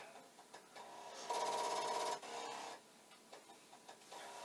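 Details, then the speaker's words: Commodore 1541 disk drive with a blank disk inserted: rapid steady rattling about four knocks a second with a brief tone, the drive head knocking against its stop. "i'm sure when i put this disk in it will also do this is a blank disk this will do nothing except make loud noises"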